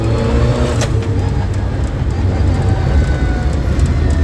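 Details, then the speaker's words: Toyota Celica GT-Four ST185 rally car with a freshly assembled, untuned 5SGTE Beams turbo engine on its first drive: a deep, even drone pulling cleanly through the revs, with one road bump. The motor revs out smooth and healthy. "I've just taken the car around the block pretty happy it all works really nicely the motor revs out nice and smooth"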